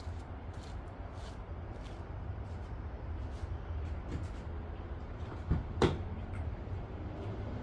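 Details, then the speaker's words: Engine at idle with an uneven, stumbling rumble; spraying brake cleaner around the intake makes it smooth out, indicating a vacuum leak. "So, you can see it's running like kind of like cracked. What you're going to do is get you some little brake clean and you're just going to spray it around and see if it smooths out on you."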